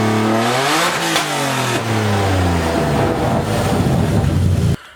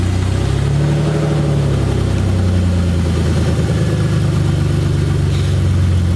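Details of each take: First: Verbal-tuned BMW E30 inline-six revved after exhaust manifold install on first start-up, not yet full exhaust; raspy sweep up through revs, holds high, loud but clean, hardly any overrun popping. Normal revving. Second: BMW E30 first start after installing the exhaust manifold, no exhaust beyond the headers: very loud, raw, deep roar rising and falling with light revs; loud exhaust from open headers.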